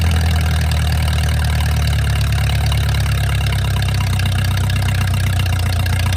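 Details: Mercruiser 470 3.7L marine engine, first run in 16 years after fuel reached the carburetor; deep steady idle, even low rumble, no knocks or misses. Automatic choke not working properly, owner suspects his wiring. Normal idle.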